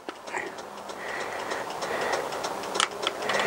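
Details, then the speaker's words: Honda CBR1000F turn signals after repair, a broken indicator wire soldered: crisp, light ticking at a steady pace in a quiet room, the flasher relay clicking normally. "and there we go and you could actually hear the flasher flashing"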